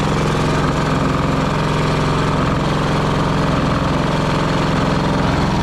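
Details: Pony starting engine of a 1945 Caterpillar D7 3T, first run after sitting over 40 years: busy, rattly chatter with a light tapping knock of about two to three a second in the running beat; slight internal knock.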